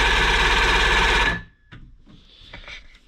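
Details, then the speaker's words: Johnson 90hp outboard cranking with spark present; starter churns steadily three to four beats a second, no catch; cranks but won't fire, fixed by replacing the faulty power pack. "See how long this lasts, but as you've seen, crank, not firing."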